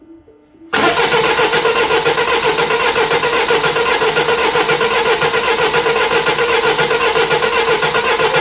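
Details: 2008 Mini Clubman R55 1.6 diesel (W40D16) parked two years, crank no start: even starter churn at about four compression beats a second, never catching; rail pressure only about six bar while cranking.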